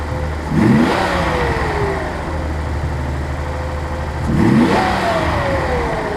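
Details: 1983 Nissan 280ZX Turbo, cold engine: stumbles when blipped, with uneven pops and sneezes on each rev before settling to a lumpy idle. Cause unconfirmed; owner suspects fuel injector, fuel pump or damper, throttle switch or airflow meter.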